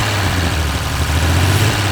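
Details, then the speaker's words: 1930s Wolseley Hornet six-cylinder after clearing a blockage from the fuel line: low even idle with steady beat, no misses or stumbles; all six cylinders firing, normal idle. "Hey, that's 6 cylinders. It is, isn't it? Is it? Yep."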